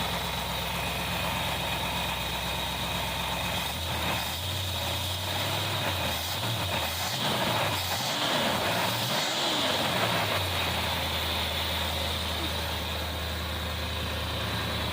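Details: 1964 Plymouth wagon 440 V8 on first start, with old plugs, cap and wires: steady, even idle with throttle blips rising and falling cleanly; running right.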